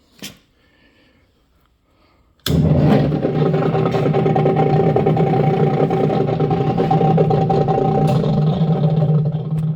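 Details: Yardbird chicken plucker motor after clearing a feather from a blocked electrical connection, no parts replaced: after a quiet pause it starts straight up and holds a steady, even hum with no stalling or rough spots, running normally.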